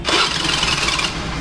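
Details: Old-model Hero Honda Pleasure scooter on electric starter: harsh raspy grinding as the engine spins over, rough and scraping rather than a clean whir; starter-side noise, bent crankshaft suspected.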